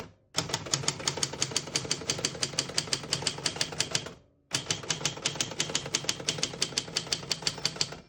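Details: 1964 Adler J4 vintage portable typewriter with all functions working. Crisp, rapid keystrikes in two steady runs of about three per second with clean carriage action; normal typing.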